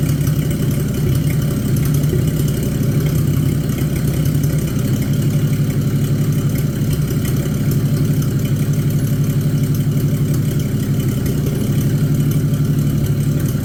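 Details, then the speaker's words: Abandoned Chevy 216 inline-6 from a 1950 truck project: loud, low, uneven idle, about three pulses a second with one cylinder lagging; engine smokes and uses oil; worn piston rings. "now this engine here is actually better than I thought it was going to be but uh it's still not good still using oil it's smoking and it's not running the greatest"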